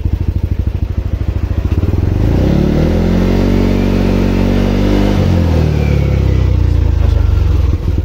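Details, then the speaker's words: Yamaha Aerox scooter after reassembling the CVT with new torque drive, crankcase and primary drive bearings: revs up smoothly and drops back with an even drone, the former helicopter-like whirring gone; normal CVT operation. "So yun guys natapos ko ng iassemble and dahan-dahan naman siyang nawala yung"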